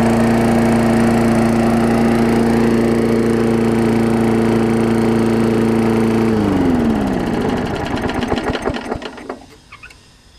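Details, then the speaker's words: Old Murray 22-inch push mower with transplanted ~3.5 hp Briggs & Stratton, finished revival after years unused (new muffler), second pull after washing: steady, even run at constant pitch, then shuts off and coasts down smoothly; healthy. "not too bad actually surprised I got this one going it always makes you feel good when you get a more going that you didn't think you were going to"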